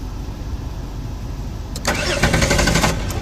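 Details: Jeep Wrangler Sport crank-no-start after dying on the road, check-engine light on: starter churns steadily but engine never fires; no spark, relay fuse blows from shorted wiring being traced.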